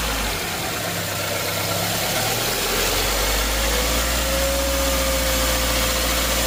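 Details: 2012–2018 Subaru Forester 2.5L non-turbo after replacing the belt, idler and tensioner (none previously changed): engine fires up and settles into a steady, even idle with no start-up squeak or belt squeal.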